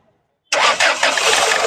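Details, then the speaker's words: Ford Figo (2013-14 model) with misfire, low pickup and hard starting, after injector check/replacement in neutral: brief crank, catches at once and settles into steady idle; now starts on one key turn instead of two or three; normal start. "तो अभी एक चाबी में start हो र पहले कहा था दो तीन चा स्टार्ट हो रही बंद हो रही"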